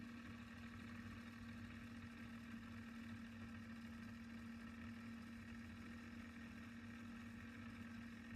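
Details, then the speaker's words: Sony TC-K777 cassette deck, restored (failed transistor replaced, reel motor adjustment fixed per service manual): final test winding tape to the end, even steady low motor hum, no wavering, pulling freely without effort; healthy. "You see, no efforts, pulling pretty well."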